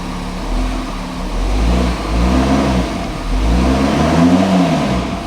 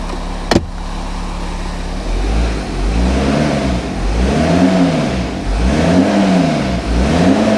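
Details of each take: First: Half-repaired VW Touareg just after first start with sump refitted, no coolant or power steering fluid: revs blipped climb slowly and fall back, lazy response blamed on an intercooler pipe issue letting unmetered air in; sluggish throttle response. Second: VW Touareg diesel just after first start following sump refit, no power-steering fluid: revs rise and fall smoothly through repeated even blips with no knocks, rattles or ticks; normal revving.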